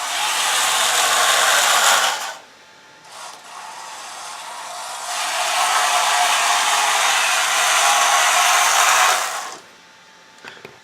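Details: Two smooth, even, high whirring runs from the steel gearbox in an IMEX Panzer III metal hull, lapped and cleaned in mineral spirits, with no clicks or grinding. Quiet and healthy after lapping.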